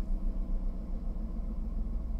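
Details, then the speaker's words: 2011 Jaguar XF Supercharged, 112,000 miles, suspension problems, idling at auction: steady even low rumble with no knocks, ticks or whine; engine sounds healthy. "she sounds like a beast doesn't she"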